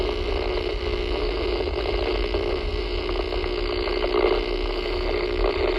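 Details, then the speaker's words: Steady buzzy rasp with mains hum from a radio receiver, swelling as the phone pans to it while driving north toward pole 95-3 (recorded 3/5/23); power line arcing from a broken guy wire resting against a street light post. "Just gonna pan the phone over to the radio, and you'll hear the noise start to get louder as we get close to the pole."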